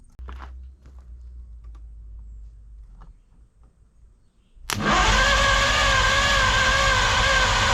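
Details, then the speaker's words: 1953 Studebaker Starliner, off the road possibly 45 years, 12 V battery on the starter and 6 V on the ignition: loud, fast, even cranking that never settles into running; owner suspects dirty original ignition points giving inconsistent spark. "I heard it fire. The spark doesn't look real consistent. So, I think it might still be the ignition points not clean enough."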